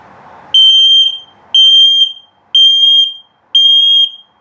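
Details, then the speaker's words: Carbon monoxide and LP gas detector self-test in a 2021 Keystone Bullet Premier 24RKPR travel trailer: four shrill identical beeps, one per second, the slow low-battery warning pattern. "Now this will tell you if there's a carbon monoxide buildup, an LP leak, or if it beeps very slowly, it's telling you your battery's low."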